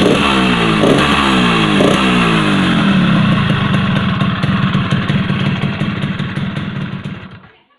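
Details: Yamaha RX-King two-stroke single after the loose piston was pressed tight back into the block: revs up crisply, holds a quick even beat, then fades out cleanly at shutdown, sounding healthy; normal running.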